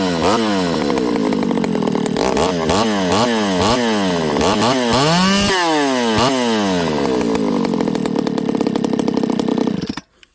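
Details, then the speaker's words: Ported Homelite 922 chainsaw after clutch and fuel line fix and cooler heat-range plug, restart with idle up, no choke: sharp snap-up through repeated throttle blips, slightly thin scream at top; high jet deliberately set slightly lean, slight loss of pull. "Now I think this saw right now, friends, is a little lean on the high jet. I did that on purpose today."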